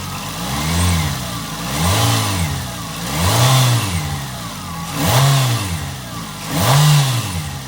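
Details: Nissan Altima, exhaust manifold crack checked for leaks: five smooth throttle blips rising and falling cleanly, no ticking or puffing at the exhaust; healthy rev.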